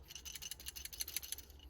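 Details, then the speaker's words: Ignition lockout solenoid removed from a Hummer whose key won't come out of the ignition, shaken by hand: faint, quick metallic ticks in uneven bursts, sounds loose inside; loose internal rattle, cause unknown. "this thing has like a rattle noise I don't know what's going on with that or if it's something to do with this thing here because it's you can hear it"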